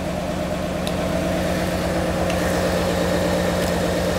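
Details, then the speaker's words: 1996 car, first start running without jumper packs: a steady, even V8 idle with a smooth low rumble and no misses or knocks, cleaning up as it warms. It is a normal idle; a leaking injector stopped after being tapped. "yes it will yes it will there you go it actually runs really nice now it's cleaning up for sure"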